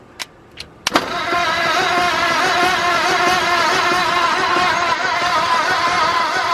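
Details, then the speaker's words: New engine in a 1953 Ford project truck, first spin-over on a jump pack with worn cables: a couple of clicks, then slow, heavy cranking beats about four a second; owner suspects a dying jump pack, possibly seizing. "Either it's starting to seize up or my battery's dying. Yeah, I want to say my jump pack's probably dying, which is good."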